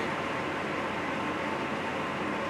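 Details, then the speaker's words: New electric hot water tank replacing an 8-year-old failing unit, filling from empty through the cold valve only, hot valve still shut. A steady, even hiss of water rushing in with no knocks or bangs; normal filling. "so i'm only going to open up the cold valve right now i can hear the water running i can hear it filling up the tank"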